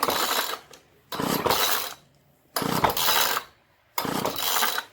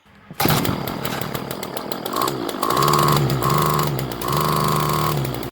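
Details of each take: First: Craftsman gas string trimmer model 358.797270, two-stroke on 50:1 gas-oil mix, tank found dry and refilled; four recoil pulls, each a dry whirring rasp with silence between, engine never fires; crank-no-start from a gummed carburetor. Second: Two-stroke Craftsman string trimmer, model 358.797270, bought for $2, after carburetor mixture screws reset about one turn out: catches and runs cleanly, cycling between wide open and idle for about 15 minutes, restarting on first pull; normal running.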